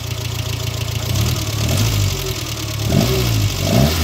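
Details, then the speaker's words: Engine with one spark plug lead pulled off: revs rise and fall, only light tappet ticking, no piston slap or deeper knock, so pistons and bottom end sound fine. "It's tap of two noises it always is but there's I can't hear Pistons that which is blooming good news"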